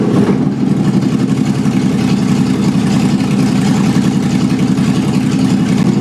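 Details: Mazda Miata with swapped 5.0 V8, first start: loud, deep, even open-pipe rumble holding steady with no knocks or misses; healthy running.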